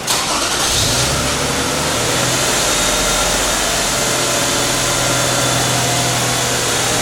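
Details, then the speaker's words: 2007 Toyota Sienna 2GR-FE V6 after fixing a cylinder 3 misfire (P0303) and erasing codes: engine catches straight away, runs smooth with a high, steady idle coming down as it relearns, no stumble. "I can hear how the engine is running smooth it's coming down right the idle is still high but it's coming down"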